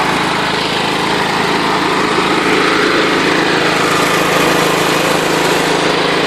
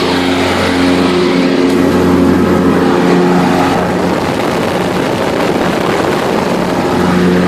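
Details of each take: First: John Deere LT133 lawn tractor with a small Kohler Command single-cylinder engine, held at wide open throttle: a steady buzzing drone with a faint loose rattle whose source is unknown. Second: John Deere LT133 lawn tractor with the PTO engaged: a steady, even single-cylinder hum with the mower deck's loud whir on top and no knocks or misses. This is normal running with the deck engaged.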